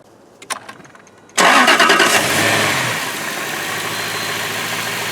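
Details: 2004 Jaguar S-Type V8 after replacing all eight spark plugs and coil packs for a fifth-cylinder misfire; short crank, fires at once, flares then settles to a smooth even idle without skipping; clean start.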